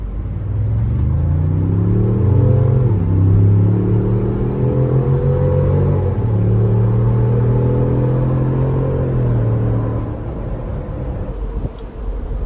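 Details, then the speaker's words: Truck with a 2.7-liter engine towing an R-Pod camper at full throttle from a dead stop. A deep, even note climbs steadily through the gears with no knocks or misses; the small engine pulls the trailer strongly and sounds healthy. "That's really impressive to me. To be such a small engine, it sounds good. It tugs that thing along."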